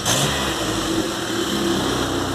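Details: VW Golf MK3 single-point injection, engine warm, after replacing the idle air actuator to fix stumbling at idle: picks up cleanly on the throttle and settles back to a steady idle without stumbling; normal revving.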